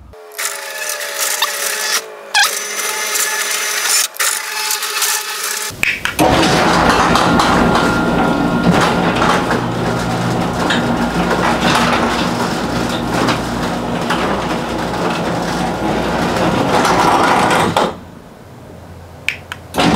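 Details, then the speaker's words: Six-month-old garage door opener running after lubricating joints and brackets with white lithium grease: steady motor hum, light even rattle, no squeal; decibel reading lower than before. "there you have it friends those are your before and after on the decibel reading you can definitely tell that the noise level went down on the decibel"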